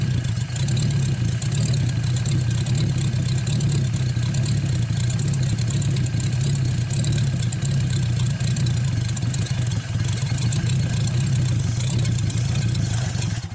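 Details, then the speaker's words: 1949 Buick straight-eight, first start in years using distributor cap and rotor from a 1950 Buick parts car, idling on the last of the gas in the can: deep, smooth, even rumble with no misses or knocks; runs really good. "I just had a little bit in the can. So we'll let the engine cool down. It's running really good though."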